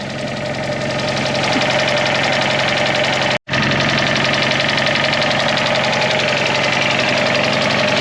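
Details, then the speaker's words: Fiat 500 TwinAir two-cylinder, used replacement engine, after curing low oil pressure and no-start by cranking with plugs out and fuel pump disconnected until the oil light went out: even, steady idle with a light valve tick, no knocks or leaks; healthy. "for leaks nothing yet nice and dry sounds clear so i think i think we might have done it"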